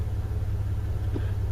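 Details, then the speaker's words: 1991 Dodge Dakota after about 90 days stored, cold start, idle control solenoid never worked and set mechanically: deep lazy low rumble barely turning over, idle too slow until warmed about 5 minutes; slow cold idle. "the idle is real slow when it's cold sometimes I have to keep my foot on the gas see like it's slow right"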